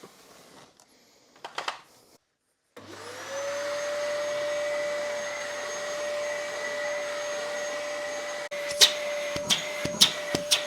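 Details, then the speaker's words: Dyson DC08 vacuum after all filters were replaced and upgraded to HEPA: motor spins up to a steady, even high whine with smooth airflow and no surging or rattles; suction fully restored, normal running. "You saw when I put my hand on the tube, it's really sucking hard"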